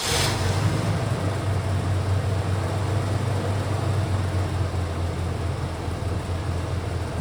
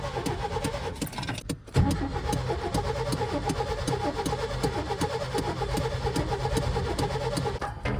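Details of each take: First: Old OBS Chevy truck, previously no spark and backfiring, traced to the distributor: steady even low rumble, no misses, pops or backfires; engine idling smoothly and running healthy. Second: Well, the previous owner told me that he just would only have backfires and it just was not trying to start at all. And it ended up being the distributor.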